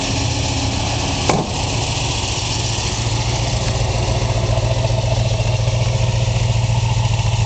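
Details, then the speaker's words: 1966 Ford Mustang K-code GT fastback, 4-speed, solid-lifter V8 with over 270 hp; fires right up to a deep, steady idle with an even exhaust beat and crisp top-end clatter; healthy normal idle. "let you hear it run fires right up you will hear the difference in this motor if you haven't heard a k code motor solid"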